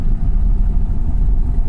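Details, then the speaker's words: V8 on a Holley ECU with E85, flex fuel reading 63%, just after a cold start at 22 psi oil pressure: a deep, steady burble at fast cold idle with even firing and no knocks or misses. It runs great. "so yeah cars running uh yeah it wasn't a bad cold start considering the e85 um yeah this thing runs great on the holley"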